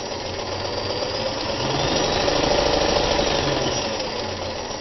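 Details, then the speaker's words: Restored mid-1970s Kenmore 158.14100 sewing machine with a size 14 needle, sewing straight stitch forward and reverse: smooth, even motor whirr with a steady stitching rhythm of about three per second and no knocks or grinding; perfectly balanced stitch, normal running. "listen to that motor reverse stop turn back here makes a beautiful Stitch perfectly balanced listen to this"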